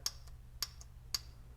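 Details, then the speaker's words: 2005 AWD Toyota Matrix U340/U341E/U341F automatic transmission single-wire shift solenoid, bench-tested with 12 V from the battery via a bypassed test light: crisp sharp click about every half second with a faint second tick; solenoid working normally. "that means that it's working now listen to this one here that one's a little bit louder"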